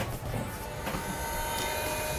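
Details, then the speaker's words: FloJet 18555000A macerator pump powered from truck battery, draining black tank through hose: steady motor hum, light whine and flow gurgle; whine gets louder as tank empties; normal pumping. "pay attention to the different sounds you'll heard different sounds you'll hear on the mortar flowing with stuff in it and you'll hear it when it's whining loud when it's empty or nearing empty you'll hear the water going through the hose or the sewage going through the hose"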